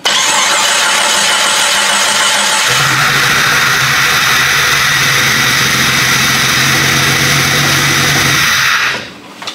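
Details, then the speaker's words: Jeep Grand Cherokee refreshed 4.0 with eBay turbo kit, first start after adding fuel and clearing a dirt dauber nest from the fuel rail connection: cranks, fires and runs about six seconds with a slightly uneven beat before cutting off; injectors suspected. Rough running after first start. "See if it'll run a little better. I don't know about them injectors because I just shoved mud off in there, so we'll see."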